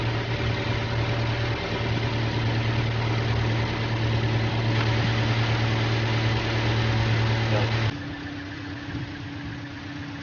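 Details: Toyota Innova petrol whose alternator had a humming noise and was not charging the battery; its silicon diode rectifier was found shorted and burnt. Here it gives a steady, even idle with a smooth low drone and no hum or whine, so idle is normal.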